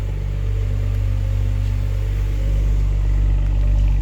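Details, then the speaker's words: 2011 BMW 135i at 101,493 km during a pre-purchase inspection, no warning lights, heard at the exhaust: a normal, deep, even idle burble with no misses or knocks, running quietly. "it's running nice and quietly no real issues"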